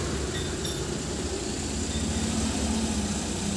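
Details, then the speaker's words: Suzuki minivan engine idling roughly with a faint rising whine from a worn tensioner/idler pulley bearing. Drive belt, found cracked, is being replaced along with the bearing. "tensioner bearing. Idle bearing. Kapalit ng drive belt."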